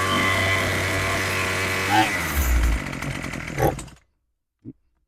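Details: Craftsman 27cc string trimmer after carb rebuild (Zama kit) and fuel line replacement, mixture screws set to one turn out: rough buzzing runs unevenly about four seconds, sags and stalls; mixture still needs adjusting.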